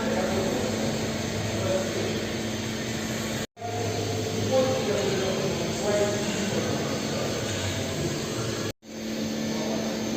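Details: 2018 Kia Rio cruising: steady low droning hum under road noise from a front hub bearing that had covered only 3,000 km; it felt rough when turned by hand.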